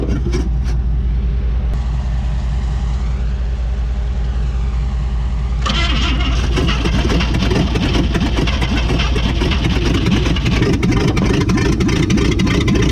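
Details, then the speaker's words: 1959 AMC Rambler Ambassador V8, parked in a Texas field since 1982, first start on a little fuel: the starter whirs, then a loud, ragged run with sharp uneven popping; the dual exhaust fell off and rat debris blew out; rough running. "looks like we got a runner boy the dual exhaust fell off but look at all this rat stuff that fell out"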